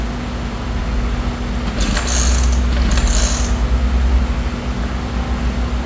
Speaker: It's trying to start, Yeah, like that. We never heard it. Like Yeah, it never turned over like that before.